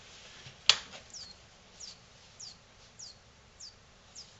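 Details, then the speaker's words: Philips 42TA2800 fluorescent-backlit LCD TV, about 5 years old, no-power fault: faint high chirps about every 0.6 s as power supply tries to start, fails and shuts down repeatedly; possibly an overload, suspected not confirmed. "aha the power supply is chirping see if you can hear this so what that is is uh the power supply is trying to start up and it can't for some reason possibly an overload for example"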